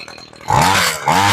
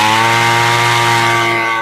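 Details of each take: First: Homelite Mighty Lite string trimmer two-stroke with replacement carburetor, after sitting a long time, primed and started on choke, choke now off: two short buzzy revs that sag hard between blips, barely holding on; idle screw needs turning up a touch. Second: Homelite Mighty Lite string trimmer two-stroke with replacement carburetor, revved while adjusting the high-speed screw (the one farther from the engine) after setting idle: steady high buzz holding firm and clean with slight pitch drift; sounds pretty good at full throttle.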